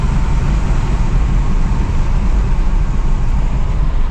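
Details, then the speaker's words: Audi A6 2.8 petrol automatic driving with a burnt-through exhaust flex pipe: coarse, loud, raspy drone under the engine and road noise; exhaust leak at the flex pipe, not yet repaired. "Я ж кажу, що вона поїхала, але гофра, гофра звучить. Ну, прям прям не дуже."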